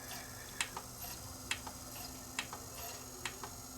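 Soft, light ticks about once a second over a faint hum as the laser sled steps across; pickup seeking normally.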